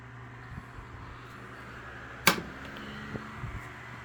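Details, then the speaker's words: Lasko 3150A 12-inch three-speed oscillating table fan, circa 1980-81, used but well cared for, switched to medium. Soft, steady motor hum with one switch click and no rattle, scrape or wobble: normal running. "that you would expect from these Lasco oscillators from this time period very quiet low throwing out a pretty good Breeze go to medium"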